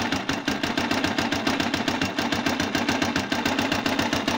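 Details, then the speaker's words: Motorcycle engine brought in with a loud noise: a hard, rapid knock at seven or eight blows a second over the idle, cause unknown. "صوت خبط جامد جدا في الموتور زي ما حضراتكم كده سامعين."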